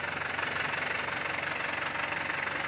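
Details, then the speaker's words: Isuzu Panther LS 2008 diesel; even idle clatter with a steady rhythm, no misses or odd knocks, and a hand on the body feels no vibration; normal idle. "ini boleh lihat ah sedikitpun tangan saya tidak bergetar saya sentuh"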